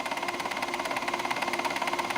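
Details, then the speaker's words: JVC camcorder in tape playback, which also gives no audio output; even light ticking around fourteen per second over a thin whir; ticking from the tape transport mechanism. "if only open this up now you can hear that ticking coming from the mechanism that's um"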